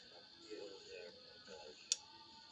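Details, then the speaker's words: Grintek TR-178b manual antenna tuner (AT188A), being opened for repair: two crisp clicks about a second apart, normal micro switch underneath changing how the two inductors are connected. "hear that clicking there's a micro switch underneath which changes the way the the two inductors uh connected up so that's interesting"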